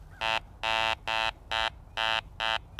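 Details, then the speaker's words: Garrett Ace 400i bench test on a junk iron washer or flat piece: short low buzzy tones with a low target number, a flat rasp identifying iron. "Definitely has a low number in the sound of iron."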